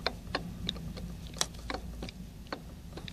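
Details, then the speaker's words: Mercedes SL55 supercharger clutch pulley rocked by hand: loose, irregular light clicks and clunks about three a second as the whole pulley moves up and down; worn bearing with excessive play, replacement advised. "can move it up and down so it's not really a good scenario if you look up here the whole thing moves and makes noises while at it"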